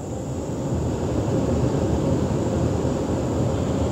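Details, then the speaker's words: HVAC indoor blower with X13 ECM motor after control board replacement, finishing rotation sensing (started and stopped twice): now a steady, even whoosh with a smooth low rumble and no cycling; normal blower operation. "and now it sounds like it's uh got itself figured out which way to go"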